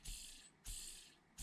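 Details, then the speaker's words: Arrma Vorteks RC bearing, previously seized, after agitation in cleaning fluid and before greasing: three quick spins, each a smooth fading whir with no grit or catch; now spins freely and normally. "I don't know if you can hear that, but that's how the bearing should be now. So it's totally fine now."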